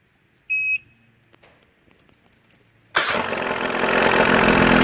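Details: Mid-1980s Johnson 35 two-stroke outboard, previously hard to start when warm, after cleaning a bad connection at the ignition harness: short warning beep, then it catches at once and settles into a steady, rising run; warm start now fine.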